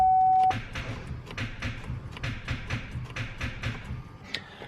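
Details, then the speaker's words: Cadillac with new starter, new battery and checked wiring: short beep then quick light clicks, no cranking; security system cuts the starter signal after a momentary pulse, causing ignition lockout; push-button start being fitted as workaround. "because the issue is that it won't send the signal to the starter it you can hear it clicking that's like a little momentary pulse but then it cuts the signal"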